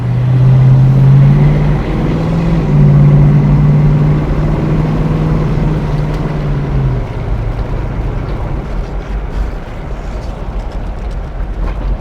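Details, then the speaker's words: Mercury Cougar V8 with new 2¼-inch Mustang H-pipe exhaust, driving around the block, carb not yet dialed in: deep even burble rising and falling with throttle, no rasps, ticks or leaks; healthy exhaust note. "Yeah, it's got a nice sound to it. I like it. Sounds good."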